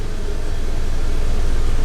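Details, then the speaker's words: 2009 Scion xB, about 17 years old, idling in gear after a short spray of tire lube near engine: steady low rumble, vibrating but no squeak; squeak usually when lukewarm at stops, owner suspects failing engine mount or rubber contact. "Vibrating, but no noise. Quick shift to reverse and into park. That fixed the squeaky noise."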